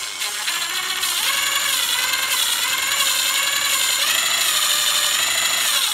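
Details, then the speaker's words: Hand lapping valves with a drill on 062 Vortec small block Chevy heads: gritty whine and rhythmic scraping, grit audible with fresh compound, growing finer and quieter as it works. Normal valve lapping. "one of the things you'll note as you're doing this when I first started with fresh compound you could hear the grit working you could hear the audible sound of it working really well and as you go it works finer and finer and finer"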